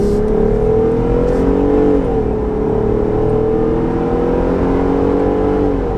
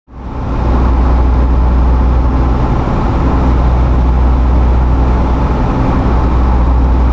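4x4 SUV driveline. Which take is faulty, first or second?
second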